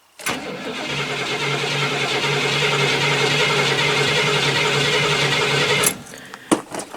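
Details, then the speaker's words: 1970 Cadillac carbureted V8, cold start after cleaning the gas tank, accelerator pumped several times first: starter cranks steadily about five seconds without catching, then cuts out; hard cold start needing many pumps. "This thing's thirsty. Takes a few pumps to get it to start. And let's crank it."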